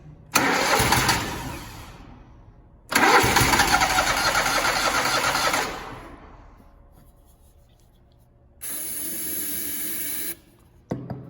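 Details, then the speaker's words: Zero-turn mower (Grasshopper or Toro) sat about 4 months, no start: cranking and sputtering bursts that fade, then a brief steady run once external fuel sprayed into induction; suspected stale carburetor fuel needing priming, not confirmed; then good idle. "So let's see if it will light off with some external fuel source. Try it again. Uh-oh, we got something."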